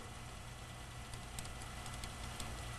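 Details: Power rack-and-pinion steering system idling with a low drone and faint, irregular light ticks from the pressure hose touching the body; fix is repositioning the hose.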